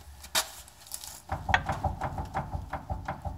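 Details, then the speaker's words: Repeated dull clunks, about three a second, as front wheels are rocked by hand under the vehicle; owner suspects loose idler arm, possibly loose outer tie rod, suspension not greased in ages. "And I jiggled the front wheels, and I noticed that I've got a loose idler arm."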